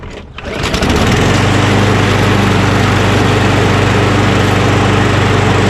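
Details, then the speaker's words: Lawn mower with auto choke, recently fixed, fresh gas and like-new oil: catches on the pull within a second, then settles to a steady, even hum with no misses or hunting; healthy mower engine running normally. "beautiful i remember it ran really well"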